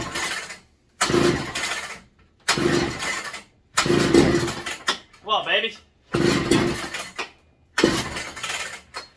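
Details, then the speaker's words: McCulloch MC49 chainsaw running a substitute 090 carburetor, first start in over 40 years after rebuild, plug just retightened: six short pull-start bursts, sputters but never catches; hard starting, acting flooded, owner suspects too much fuel. "acting like she's kind of flooded reset gotta figure out what's going on here"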